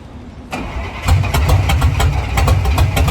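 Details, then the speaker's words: Squarebody truck with Rochester Quadrajet carburettor, before swap to Edelbrock 1406, battery low: engine catches after a short crank and settles into a lumpy, uneven idle with an irregular beat; runs rough, cause not pinned down. "give you guys a little example on what it's doing you guys can hear it run"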